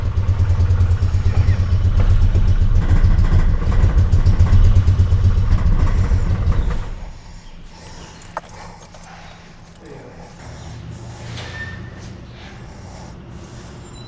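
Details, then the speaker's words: Truck's first start, fuel pump primed: catches and runs loud and uneven for several seconds, then stumbles and dies. New injectors didn't fix it; the cause was a missing vacuum line at the PCV. Lean running from vacuum leak. "At first, it was rough. So, we tried injectors. Injectors didn't fix it. Then, homeboy realized that we're missing a vacuum line that goes between the PCV PCV, which is I I Is it PCV"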